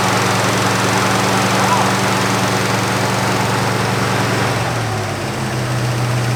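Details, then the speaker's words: 1963 Buick with original all-aluminum 215 V8, abandoned for decades, first start after cleaning points, no coolant and holed radiator hose: starts easily, steady even drone with no knock or misfire, sounds like a fresh motor. "it's got a hole in the radiator hose but it did start right up pretty easy"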